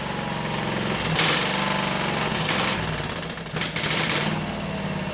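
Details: Hot rod go-cart, small single-cylinder engine with exhaust pipe ending just in front of the rear end, no muffler yet fitted: harsh crackling bark with sharp loud bursts; very loud unmuffled exhaust.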